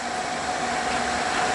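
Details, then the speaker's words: Repaired Suburban SF-30 RV furnace (new control board, ignitor, sail switch) running after ignition, producing heat after years unused: even rushing airflow with steady mid-pitched hum, no rattles or cycling; normal furnace operation. "have heat oh yeah if it's been a long time since this thing is run okay well I'm sure glad to hear that"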